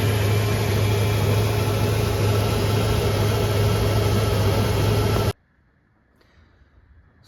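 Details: Ford EB GT V8, rough former daily driver with changed exhaust systems: idles with a steady, even deep rumble and no knocks or misses until shut off; sounds healthy.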